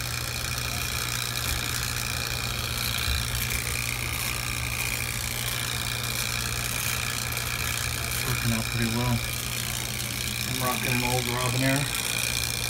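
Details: True T-49F two-door commercial freezer after rebuild, cleaning a plugged condenser, evacuating to 75 microns and weighing in the refrigerant charge: a steady, even low hum at one constant tone, no knock or rattle; compressor runs normally.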